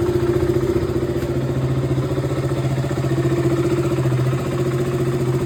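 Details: KTM Duke 200 BS4 single, cold-morning start after sitting over 40 days: fires up and settles into a quick, even idle with steady pulses, no rattles or stumbling; starts fine, no battery drain.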